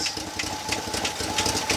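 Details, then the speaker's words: 1965 Chevy C10 pickup at quiet idle, running on fuel left in the float bowl: sharp, light ticking about three to four times a second from the valve train; flat camshaft lobe or stuck lifter suspected, not confirmed. "you want tell me what you notice I hear clicking Dakota I do here tapping as well"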